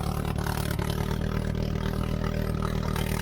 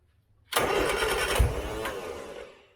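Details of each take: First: 1970s Turner Ranger tractor, 1098cc A-series Mini engine after timing and leaner mixture adjustment, vacuum advance refitted, half exhaust, on a test drive: steady, even note, no knocks or misses; running sweetly, though it got hot. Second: 1970s Turner Ranger tractor, 1098cc A-series Mini engine, weak battery on a jump pack, long hard to start: about two seconds of cranking with one dull pop, then dies; owner suspects fouled plugs.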